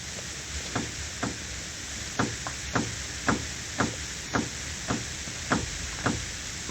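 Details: Renault (Kangoo/Logan/Symbol/Clio) steering rack with boots removed and a plastic bushing by the tie rod possibly misplaced; sharp dry knocks, about two a second, as the tie rod is pulled down by hand, showing rack free play.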